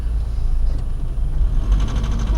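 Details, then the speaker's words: Nissan Pathfinder diesel idling with heavy low rumble and rough knocking edge, described as detonation; cause not pinned down, fuel supply suspected and extra filter and electric lift pump being fitted. "hear how the young man fingers pistons as one wrote or there valves here in general detonates just simply understood that the diesel engine is running and so all my life in the detonation mode"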